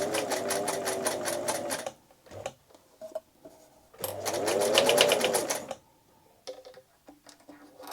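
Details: Singer 247 sewing machine, oiled and cleaned, sewing with thread tension not quite right; fast, even chatter with a heavier clunk riding on it as speed rises, judged definitely an issue, cause not confirmed.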